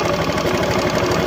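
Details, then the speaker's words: Honda Beat FI scooter, before repair, drive pulley removed to confirm the noise is internal. It idles with a harsh rattly grind and quick ticking from inside the engine. A loose cam gear bearing was found. "Ayan oh kung mapapansin niyo alog yung cam gear bearing ito umalog kaya babaklasin natin to"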